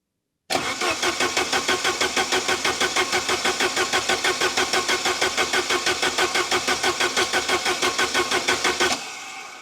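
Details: Saab 900 Turbo Commander with Bosch K-Jetronic injection, sat abandoned 10+ years, trying to run on its own fuel after starting on starter fluid: even cranking, never firing. Owner suspects fuel pressure not reaching the pump, possibly the car's angle; crank, no start.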